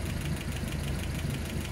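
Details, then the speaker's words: Land Rover Series 3 engine at idle: light quick ticking over a steady low idle from valves three, four and maybe seven; excess tappet clearance, those valves need readjusting. "i can actually hear valve number three is clicking a bit so number three and maybe four hmm and maybe seven"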